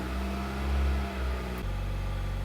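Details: 2009 Hyundai Elantra HD after a major service that included replacing the fuel pump assembly: the engine settles into a steady, even hum with a smooth low drone and no misses or knocks; normal running.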